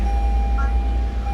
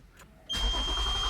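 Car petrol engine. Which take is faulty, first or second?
second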